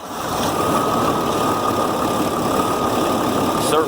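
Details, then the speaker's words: 2007 Ford F750 5.9 Cummins diesel after replacing injector to cure miss and protecting rubbing wiring: steady even idle, constant drone, no skipping; check engine light stays off. "sounds a lot better yeah sound good it's all back together run good sounds good check engine lights stayin off"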